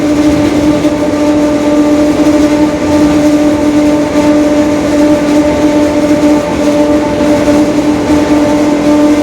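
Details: 2021 Marcopolo Torino S lengthened city bus on a Mercedes-Benz OF-1721 Bluetec 5 diesel chassis, recorded while running along. A steady low droning growl under the engine note holds its pitch: a growling differential.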